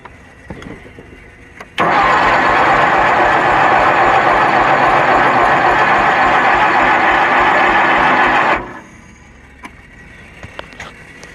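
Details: Kohler Magnum 20 engine on a Wizard garden tractor, second start after repairs, battery on charger boost: starter churns steadily about seven seconds without a single firing catch; cranks but won't start, carburetor suspected.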